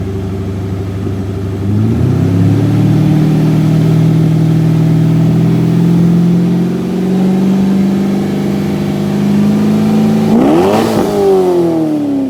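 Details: 2001 C5 Corvette Z06, about 30,000 miles, after a used Magnaflow cat-back install: V8 catches into a deep even burble, then two quick clean throttle blips. Checked with no exhaust leaks; sounds normal.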